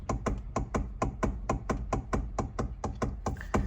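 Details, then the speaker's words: 2011 Hyundai i30 1.6 diesel, steering turned with no engine sound: sharp, evenly spaced knocks about four a second from the column. A plastic gear at the electric steering motor is suspected; the fix is replacing it. "now that noise there I believe is a gear that's inside of it"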